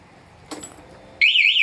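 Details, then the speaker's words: Honda Beat motorcycle with a newly fitted MP one-way anti-theft alarm armed in silent mode: quiet handling, then a loud warbling siren when tampered with; silent mode only mutes the vibration alert. "Alarm aktif tapi mode silent yaitu gembok ketutup Ditahan lama Tetap bunyi ya silent itu hanya untuk getarannya saja misalkan ini dibobol"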